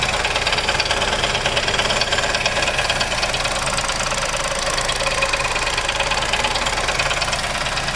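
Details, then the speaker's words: Chevrolet Onix Plus LT manual, new, idling from engine bay without engine cover, while brake pedal held: sharp regular tapping about three times a second, something actuates and keeps knocking when brake pressed; source unclear. "e pinta de novo no freio e faz um barulho quando pisa no freio alguma coisa aciona aí dentro fica batendo"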